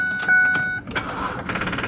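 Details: 2005 Ford Five Hundred AWD SEL, 187,000 miles, check engine light on and misfire noted: door chime, then the starter churns in quick uneven pulses without catching cleanly. Hard crank blamed on a bad battery.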